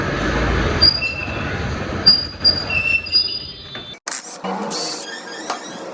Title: RR Brake Noise Motorcycle ||| Zaidi tvs showroom chandpur best all work ❤️👍 ||| #viral #automobile